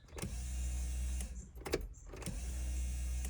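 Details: 1989 VW Fox abandoned for years, fuel system being rebuilt: two roughly one-second bursts of low electric pump hum at key-on, but still no fuel reaching the engine. A part on a rusted-off tab kept coming loose; the pump is being retested.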